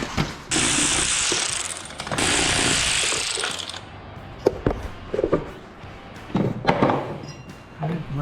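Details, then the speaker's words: 2015 Bad Boy Elite ZT 54-inch mower deck, deck and belt removed, pulleys hand-spun: loud, rough hissing whirr from a worn spindle bearing running loose on its shaft, found during first full service; spindle bearings replaced. "okay we got the deck off and we're gonna check pulleys all right we found something noisy so that one's loud"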